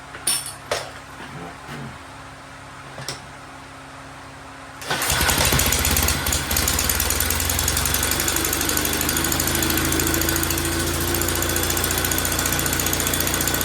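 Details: 1931 Viking Model B twin walk-behind tractor after carburetor and gap adjustment: five seconds of silence, then the twin catches and settles into a steady, even putter around 220 beats a minute; normal running.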